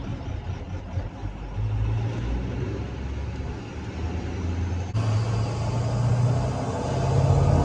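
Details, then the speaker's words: Diesel truck with Powermax turbo, intake tube off, revving: deep diesel with a sharp whooshing chuff as the throttle drops, a loud, healthy turbo bark on lift-off. "That noise, that turbo bark when you let off."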